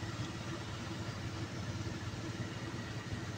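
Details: Perkins 1300 series diesel generator running steadily with a hard, uneven knock and white smoke, caused by a broken injector nozzle.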